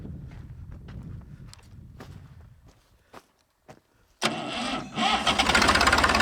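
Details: Massey 2500 tractor forklift diesel starting after the lift pump gave no fuel: slow cranking puffs, then it catches and settles into an even clatter with no misfire; runs healthy.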